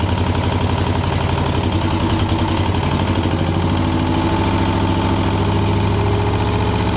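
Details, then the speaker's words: 1960 Mercedes-Benz 190B, first start in 50 years: even, steady low rumble with no misses or knocks at settled idle; runs cleanly. "oh you got it so sounds pretty good sounds good yeah real good"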